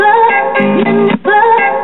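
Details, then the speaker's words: 1965 Admiral solid-state mono 4-speed record player with new high-output 3-volt crystal cartridge, playing an 1980s record: music jumps with brief dropouts and restarts mid-phrase. Needle skipping; changer mechanism needs cleaning, older stiff cartridge skips on newer records. "and yeah this mechanism needs to be cleaned [Music] as you can hear it's skipping all over the place"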